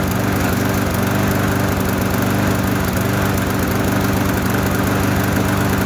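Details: Trash-found lawnmower running after fresh gas, no air filter or housing, owner attributes slight roughness to that; steady single-cylinder putter at constant speed, no knocks or misses, no smoke; normal running.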